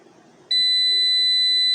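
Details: Old UPS (Series P1) running on battery: quiet, then a sudden steady high-pitched buzz from its buzzer that holds unbroken. Cause suspected, not confirmed.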